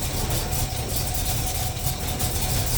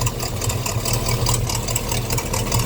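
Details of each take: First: 350 Chevy small-block after intake manifold gasket and fan clutch replacement, first start with choke; steady low rumble at idle with an even beat, no ticking or puffing from the manifold. Normal idle. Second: 350 Chevy small-block V8 in a pickup: lumpy idle with a sharp rapid puffing tick in time with the firing, sounding like an exhaust manifold leak; exhaust actually blowing from the intake manifold gasket.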